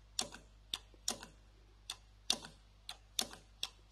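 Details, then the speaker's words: EGR valve powered directly from the battery via jumper wires for diagnosis: sharp, irregular clicks and ticks about one a second over near silence as the valve moves open and closed; normal EGR valve operation. "i can see it i can hear that valve's moving"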